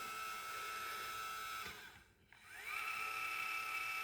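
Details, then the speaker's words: Celestron NexStar 4SE mount altitude (tilt) drive motor after disassembly and oiling: smooth, even high whir that fades, pauses and winds back cleanly; normal motor running, much quieter than before. "So, let's listen how it sounds after it's all been oiled up. Definitely a lot better. And that sounds like it should sound."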